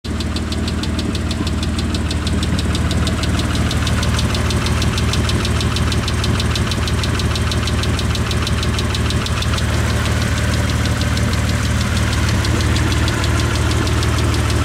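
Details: 1998 Mitsubishi 3000GT SL V6 running with a quick, even lifter tick over a loud, raspy exhaust note from a tiny hole in the upper exhaust; tick suspected lifters, later fixed.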